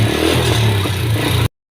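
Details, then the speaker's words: Honda Wave S single-cylinder with worn engine and smoky exhaust, revved hard: fast metallic clatter from the cylinder head over the engine note; worn cam and rockers from oil starvation. "วันนี้ข้าพเจ้าได้รถเวฟเสกับอาการเครื่องหลวมมีอาการควันออกท่อเนาะทุกคนเนาะติดเบิ่งกันทุกคนอาการของมันคือจะมีเสียงดังแก๊กๆพร้อมนะทุกคน"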